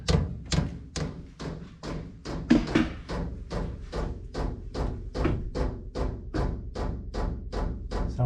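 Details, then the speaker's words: Cheap Chinese diesel heater being installed in a 2006 Nissan Frontier, first run right after priming: the dosing pump ticks loudly, steady metallic ticks about twice a second, echoing through its metal mounting and up the hose; it needs quieting. "so yeah that's the pump that's echoing on me i don't need to steal like that that's definitely gonna have to change because that's really loud out here"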